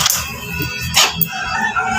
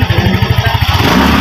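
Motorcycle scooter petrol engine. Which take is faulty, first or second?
first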